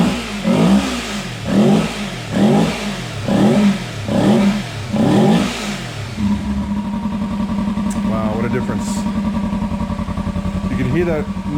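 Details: 2015 Kawasaki Ninja 300 race bike after sitting months, fuel pump reinstalled and fuel cleaned: engine catches and settles into a steady even idle after a few throttle blips, no misfire or stumble; running normally.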